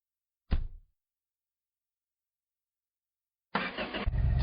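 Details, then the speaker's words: Rebuilt carbureted engine, first start in the car: a quick thump, a pause, then it catches promptly and settles into an even idle; normal start and idle. "Yes. Sounds good, huh?"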